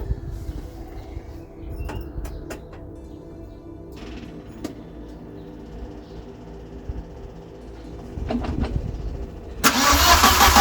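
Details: Westfield SEiW kit car engine, first start after new cambelt kit with fuel and spark sorted: starter churns on and on with no catch, ending in a sudden loud burst near the end as it begins to fire.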